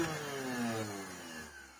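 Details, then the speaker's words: Samsung SC8442 bagless cylinder vacuum that started sounding like this soon after picking up metal filings, with a smell: the motor spins down unevenly with a rough, wavering drone instead of a clean whine, a damaged motor. "Guy said he picked up a mess of filings, and then not long after that it started to sound like this, and oh yeah, there is the smell."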